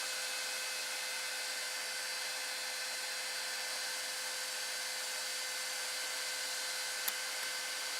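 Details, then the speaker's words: 3D printer 24V-to-12V buck converter cooled by an AMD CPU heatsink fan, running loud: constant high-pitched whirring hiss with steady whining tones, no low rumble; this noisy CPU fan is planned to be replaced with an 80mm Silent 8 fan. "I [Music] think that's what's making all this noise without that fan it's quite quite in here so I now plan to replace it with one of these"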